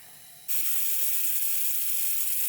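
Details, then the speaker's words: Old air hose reel: steady sharp hiss starts when reel is moved, not from fittings but inside swivel hub; air leak past swivel hub O-rings, fixed by replacing O-rings (size 112). "you can hear it's not from these fittings right here. It's inside. So it's inside this unit right there."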